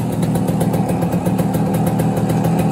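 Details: 1971 Kawasaki G3SS 90cc two-stroke motorcycle under revival: an even, crisp idle with a steady rapid popping beat and no misses or rattles. The engine is running cleanly.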